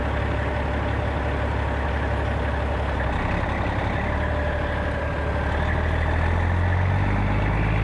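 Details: 1995 Western Star with Cat 3406E diesel after new 6-inch Grand Rock exhaust replaced the holed, sheared-flex-pipe system: deep, steady idle, full even rumble, no rasp, puffing or leak ticks; healthy exhaust.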